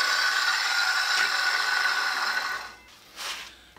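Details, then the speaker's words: Sears Craftsman 7-inch electric hand (circular) saw, model 315.27802, rated 2 horsepower, with a good sharp blade cutting 2¼ inches into tough pallet white oak; steady high whine with even rasp, no bogging or chatter, then spin-down. Normal cutting. "that's a nice saw a good sharp blade cut two and a quarter inches into that white oak"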